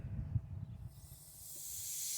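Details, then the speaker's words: Chevy Cruze 1.4L turbo boost leak test: system pressurized through the brake booster vacuum nipple with the valve opened slowly. A steady, rising high-pitched hiss of air escapes at the throttle body. Fix: tighten the throttle body clamp until the hiss stops. "can hear it already right there the throttle body and then what you do is take your flat head ratchet tighten that until it doesn't hiss anymore"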